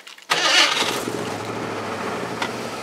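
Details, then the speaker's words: Ford F-150 after engine swap (rebuilt short block, rebuilt top end, new cam), still cold: brief crank, catches at once, settles into a steady slightly high cold idle; healthy start. "And of course it starts about like it always did. You really can't tell it ever had an engine put in it by the way it starts."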